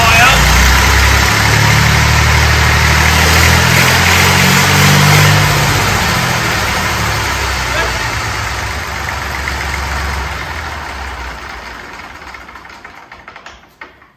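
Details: Fordson Dexta small diesel tractor being restored, even diesel clatter running strong then easing down smoothly as the throttle closes; it answers the throttle cleanly and runs healthy.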